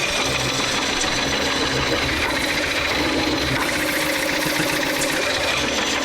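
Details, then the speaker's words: Lathe coring of a large cherry bowl blank, with the knife directly over the support blade: a steady hissing cut and reduced chatter. "please well you can hear that the chatter is less and now Chip injections are falling because I can't get I can't get my uh my knife out of the way"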